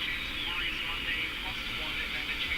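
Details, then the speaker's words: Canadian Philco #57 tube radio while tuning stations: high heterodyne whistle over station hiss whose pitch warbles instead of holding a clean tone; cause not pinned down, and augmenting the screen capacitor made no difference. "it's not a nice clean tone. It's a weird warbly thing."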